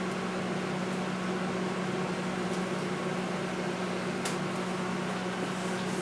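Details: Panasonic high-power inverter microwave after fuse replacement, heating water until steaming: steady even hum with soft fan whir, no crackling or arcing; works normally, the only fault was a blown fuse.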